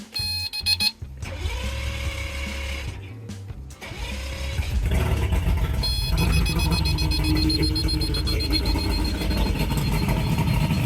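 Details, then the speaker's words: Mercury two-stroke oil-injected outboard running on water muffs after oil reservoir cap replacement: steady beeping alarm, two to three beeps a second; low oil warning, reservoir may need topping up with 2-cycle oil. "Still beeping. This is half a turn, so let's see if that's right. Hasn't stopped beeping yet, so let's check and see if the reservoir is even filling up."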